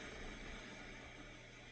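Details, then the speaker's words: Audio unit on the repair bench: steady low hiss and static with a faint hum on the auxiliary input, the same static as on Bluetooth while USB and SD card are silent; detuned FM radio static bleeding into the aux input. "SD card, that's silent. Auxiliary input also the same static"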